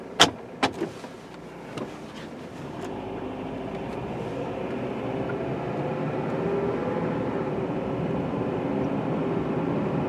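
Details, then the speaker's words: 2008 Honda CR-V after repairing a left-front rattle over bumps: steady, smooth road noise inside the car on a test drive, the front suspension now quiet with no rattle. "Oh yeah, nice and quiet. No more rattling at all."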